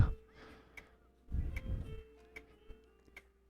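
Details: Toshiba C55 laptop (C55-B5240) that turns on by itself when plugged in: sharp even clicks roughly every 0.8 seconds over quiet background, suspected struggling hard drive; CMOS battery low, main battery possibly dead.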